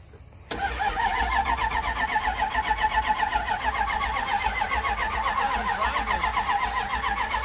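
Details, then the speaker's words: Red Dodge 1500 pickup: the starter turns the engine at a steady roughly four beats per second but it never fires, a crank-no-start; a slight fuel smell is present, and ether is planned next. "that like it's not even trying to turn over no to start i smell a bit of fuel though"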